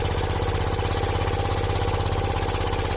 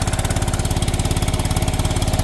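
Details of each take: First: John Deere 314 garden tractor, older, maybe '80s, with a rebuilt Kohler K321 single-cylinder, warmed up after burning off old oil, still some smoke: even idle, briefly changing pitch then settling, with no knocks or misses; sounds healthy. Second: John Deere 314 garden tractor (possibly 1980s) with Kohler K321 single-cylinder engine, long unused: steady hollow, slightly uneven chuffing at about twenty beats a second with heavy smoke after fuel fix; low compression, owner suspects blown head gasket (oily head-block joint).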